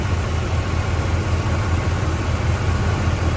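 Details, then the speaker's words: 1993 GMC Sonoma after refitting the old distributor and module, computer unplugged to set timing: steady, even low rumble with no misses, knocks or surging. Normal idle. "Right now, I've got the uh computer unplugged so I can set the timing. And look at that. Listen to that thing run."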